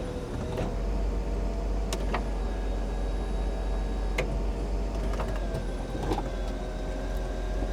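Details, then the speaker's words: 1995 Mercedes E320 Cabriolet (W124), convertible top closed for 18 years: constant low hydraulic pump drone with clicks and clunks as top moves; pump running smoothly, top working normally. "Yes, yes. Oh, it's working. It's working so good."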